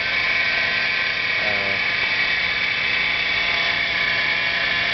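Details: 2007 Hyundai Sonata V6 at idle: steady high-pitched whine over the engine, constant while running, louder with acceleration, same with AC on or off; caused by a worn idler pulley, now fixed.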